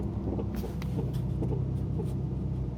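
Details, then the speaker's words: 2012 Mazdaspeed3 while driving: light sharp clicking about three per second from the left front only, not the right; owner suspects a worn left front axle, while forum users suggest front end link bushings; unconfirmed. "you can hear that clicking clicking noise like that's the noise I hear it's only coming from the left front it's not coming from the right front"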